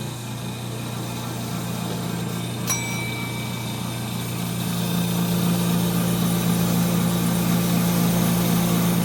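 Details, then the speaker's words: 1930 Gilbert and Barker model 106 clock-face gas pump, after a WD-40 restoration, pumping fuel: steady low motor hum rising slightly as fuel flows, no rattles or surging; smooth motor delivering good flow and pressure, normal running under load. "The motor sounds super smooth. Woohoo! Check it out. Wow. This thing has some flow and pressure."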